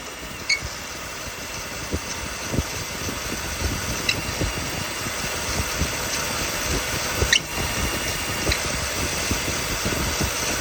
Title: Loose Belt Making Noise #automobile #autorepair #mechanic